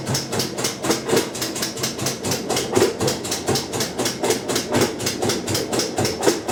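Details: Kenmore 90 Series washer, model 110.26902691, during rinse cycle; sharp even clicks about four per second over soft churning hum, room lights blink, no broken or loose parts found inside, cause not found.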